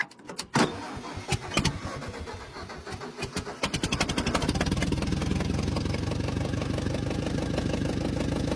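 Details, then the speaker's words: Lasca restoration car with a dripping carburetor: several slow cranking turns, catches about four seconds in, settles to a steady, fairly quick idle; quieter than its first start, starter suspected of needing attention. "well it's quite a bit quieter than it was the first time so apparently that starter we're going to have to look into at some point too"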